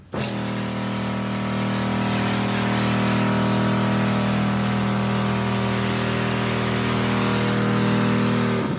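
A steady, even motor hum with a constant pitch holds for the whole run, no surging or rattle; the pump is running healthy.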